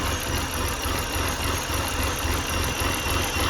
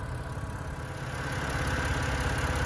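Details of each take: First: 2011 BMW 328i xDrive with replacement N51 engine from a 2013 328i, first start after swap: uneven lumpy idle sagging toward stall, whistle like major vacuum leak, oil pressure light, then dies; owner suspects something unplugged. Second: 2011 BMW 328i xDrive with a replacement N51 engine from a 2013 328i, after reconnecting a loose cam sensor plug: smooth, even idle with steady low hum, no misses, knocks or ticks; running healthy after the engine swap.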